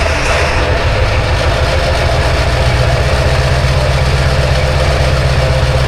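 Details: Diesel dually pickup at 18°F, jump-started with a jump box: a loud, deep clatter with an uneven beat right after the cold crank. Rough cold start because only about three glow plugs work; the starter is also failing.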